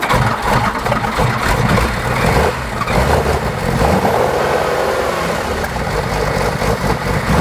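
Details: Porsche 911 2.8 RSR build, first start after chasing a no-spark cranking fault (the test light turned out to be faulty): engine runs lumpy and uneven, surging and stumbling instead of settling; rough running, smoke seen afterwards.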